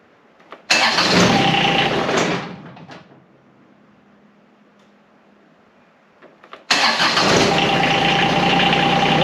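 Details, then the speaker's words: John Deere X758 diesel after an air and fuel filter change: two bursts of cranking separated by a quiet pause as it fights to catch. A stubborn hard start; the owner says it starts quickly when the glow plugs are working. "Boy, this thing is stubborn. And I know this engine likes its glow plugs. If those glow plugs are working, this thing just is quick to start."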